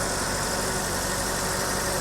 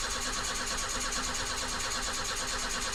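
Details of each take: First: 1984 BMW 318i E30 that sat four years, after refuelling: even, quiet idle under heavy hiss, no stumbling or missing beats; the misfire from running low on fuel is gone, engine running smoothly. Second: 1984 BMW 318i E30 that sat four years, crank-no-start from running out of fuel: after adding about four gallons, long steady cranking to rebuild fuel pressure to the injectors, then it stumbles and catches in uneven bursts once fuel arrives.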